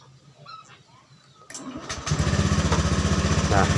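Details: Honda Beat scooter with total electrical failure, started with starter relay jumpered: quiet handling, starter whirs, engine catches into quick even single-cylinder putter; normal start.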